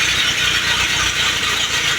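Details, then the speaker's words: 1948 Willys pickup engine, body off, in neutral, first start on a power jumper with old plugs, wires, points and coil. A fast, harsh ratcheting grind rides over the engine: the starter was missing its spring and stayed partially engaged. It went quiet once backed off. "And then when we first started it, we had a noise, but we didn't have the spring on the starter, and it was partially engaged."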